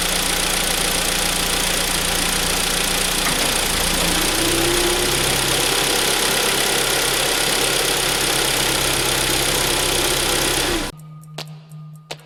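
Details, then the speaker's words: Hyundai ix35 2.0 G4KD after timing chain replacement and repair of a new knock that appeared when selecting drive; steady even idle in drive with no knock, then engine switched off; normal, knock gone. "сейчас сяду в машину, заведу автомобиль и включу драйв, чтобы было слышно, что данный звук при включении передачи, драйва, включения коробки прошел."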